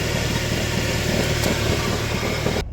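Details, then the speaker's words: Car with failed, loose dual-mass flywheel, heard under the car at idle, not fully cold: rapid irregular low knocking about four per second; knocks more when cold, calms as it warms; flywheel to be replaced with used good one. "Вот такой стук в машине. Ну, сейчас не так холодно. На холодную он больше стучит, потом машина прогревается, он успокаивается."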